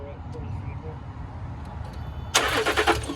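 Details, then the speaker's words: Range Rover Sport with the battery reconnected: a short, even, healthy-sounding crank with steady compression, and the belt is confirmed intact, but the engine never catches: crank, no start. The cause is unconfirmed and code reading comes next. "Yes. Try it again. Yeah. So the belt's intact then. Yeah. It does sound quite healthy, like the turnover, to be honest."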